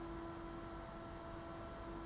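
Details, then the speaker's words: Magnavox ZV427MG9 DVD/VCR with a replacement dual ball bearing cooling fan run at 7.4 V, 100 mA: soft, steady hum with a faint even whine and no rattle or grinding; noticeably quieter than the original sleeve bearing fan. "it's a lot quieter than the original at the same milliamps"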